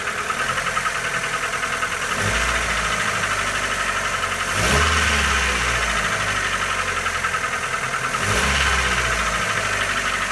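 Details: Mitsubishi Lancer 9, 1.6 with automatic transmission, at idle. A rapid, light knocking runs through a steady idle, with brief revs; engine knock of unknown origin.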